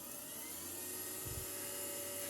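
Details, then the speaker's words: BC455 ARC-5 command receiver under restoration, dynamotor running on about 24 V and drawing 3.3 A (46 W) for about 217 V HT: a smooth, even high-pitched whir with a steady drone, no knocks; normal running. "So we turn it on, it should start the Dynamotor. There we go. Lovely."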